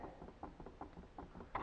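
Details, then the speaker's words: Honda VTR that had crashed on its left side: soft, dull clunks about every 0.4 seconds as the front wheel is rocked by hand. There is lots of play, which the owner suspects is worn bearings and possibly the cause of pulling left under throttle. "but the other thing that I noticed is that this wheel has a ton of play in it can you hear that"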